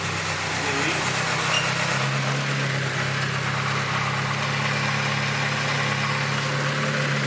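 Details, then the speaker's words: Boosted Acura RSX Type S after an engine rebuild with LSD, new clutch and pistons, just after first start: steady, even idle hum with a smooth low drone, no ticking or exhaust leaks. Only a coolant drip is still being checked. Normal idle. "Man, turbo's still spinning. I don't hear any exhaust leaks. I think you're solid."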